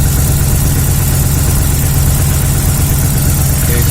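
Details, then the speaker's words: 2010 Dodge Ram idling with a loud, uneven, loping beat and irregular stumbles: misfire on cylinder 4 caused by rodents chewing the number 4 injector drive wiring. "so we're working on a 2010 dodge around with a Miss on cylinder number four and I'm about to check injector waveform"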